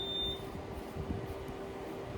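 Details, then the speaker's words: Brand-new Robinair R1234YF A/C recovery machine during setup: a short, high electronic beep over a quiet fan hum. It flags insufficient vacuum despite reaching 30 inches; something inside apparently came loose during shipping. "What do you mean insufficient vacuum for setup? Okay, I guess I gotta try that again. I mean, it literally reached 30 inches of vacuum here."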